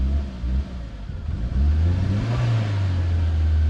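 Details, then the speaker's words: Modified Escort Cosworth on EMU ECU, new base map with 1000cc injectors, fuel regulator set to three: idle sags and stumbles until throttle blipped, deep uneven rumble; won't hold idle, cold start or ignition angle suspected. "However, it won't um it won't hold an idle for me. So, bit disappoint."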